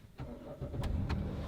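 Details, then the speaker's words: 2008 Dodge Caravan, V6, high mileage, driven gently by an elderly owner: short crank, then it catches within half a second and settles into a steady, even idle. A normal start. "Starts right up."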